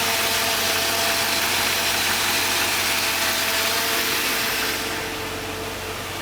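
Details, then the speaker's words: Car idling just after start-up with the AC running cold, hood popped; steady, even idle with a smooth hum and no unusual ticks or knocks; engine sounds healthy. "all right i'm going to go ahead and do a walk around the car for you pop the hood no unusual ticks or anything"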